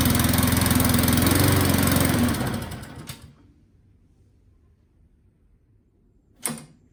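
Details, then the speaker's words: Self-drive mower with new spark plug, first start from pull cord at full throttle and choke: runs with a fast, even beat, then sags and stalls within a second off choke; owner suspects running jet, carburettor needs cleaning. "It died off choke, but it ran. Now what do? I mean, I think it needs the carburetor cleaning out. That felt like a running jet problem."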